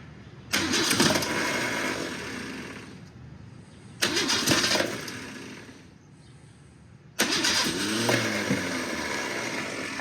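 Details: Car sat almost 20 years, no radiator fitted, broken throttle linkage cracked open, carb primed: three labored, uneven cranking bursts with no catch; cranks but will not start.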